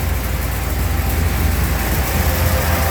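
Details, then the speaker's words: Car warm at 200° operating temperature after about 25 minutes of running, fan one on, oil pressure good, with Rislone stop-leak added for a water pump leak: smooth, even idle with no knocks, misses or squeals. "all right friends as you can see the car is now up to temperature 200 fan one is on everything is good oil pressure"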